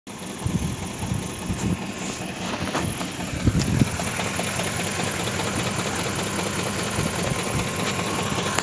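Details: BMW engine idling with a fairly steady rough tapping running through it; an engine knock, cause not pinned down.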